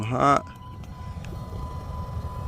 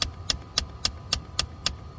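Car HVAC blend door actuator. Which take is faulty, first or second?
second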